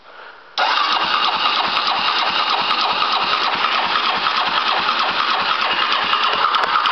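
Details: 2005 Polaris Predator cold start after carb cleaning, oil change and spark plug, carburetor just primed with fuel: starter churns steadily about three beats a second for over six seconds without catching; hard starting.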